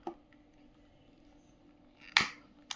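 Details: Kitchen gas lighter after its faulty piezo spark generator was replaced: three sharp, crisp snaps, each firing cleanly, showing the igniter now works normally.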